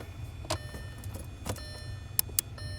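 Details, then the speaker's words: 2006 Audi A6 with a no-crank concern, microphone held at the starter relays while cranking at 12.5 V. A few sharp, separate clicks over a low hum; earlier there were none: normal starter relay clicking. "we wouldn't have 12.5 if our if our relays weren't clicking down here so um you may not be able to hear it but i'm going to put the microphone right up to them"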